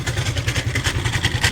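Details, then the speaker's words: Suzuki Lets scooter: even idle beat with a tinny metallic clatter on every pulse; noise judged to come from a loose, vibrating engine side cover, which is also leaking oil. "का sound बहुत खराब से आ रहा है ये सुनिए और यह कवर से ज्यादा से ज्यादा यह कवर से हो रहा होगा"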